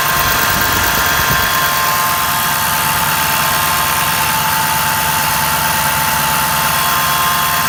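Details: 2011 Ford F250 6.7L Powerstroke diesel, stock, ~124k miles, idling: thin steady high whine over the clatter from driver's side, starts immediately at start-up, varies with rpm; caused by a bad alternator, solved.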